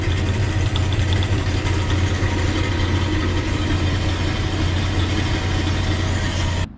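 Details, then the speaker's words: Old lapidary slab saw making its first cut through an opalized wood limb cast, lid closed: loud steady low drone from the auto-feed vise motor and pulley that spins the saw, then a clean auto-shutoff when the cut finishes; running normally. "So you can hear about how loud it is. That is the pulley and motor for the auto feed for the vise, and that actually is what's spinning the saw."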